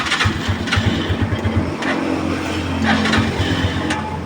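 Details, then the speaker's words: Rusi 175 Macho 2024 single at about 600 km, freshly started cold, before oil change: sputters slightly unevenly then settles to steady fast idle; normal cold warm-up, needs some idling. "ganyan siya pag malamig, pero pagka tumakbo siya, kailangan naka-idle ka ng kaunti."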